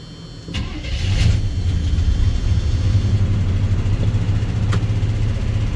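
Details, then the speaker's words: 48-year-old GMC squarebody C25 truck after a tune-up, first cold start: cranks and catches in about a second, then settles into a steady, deep, even idle on choke; choke working, healthy normal cold idle. "Success. Choke's working."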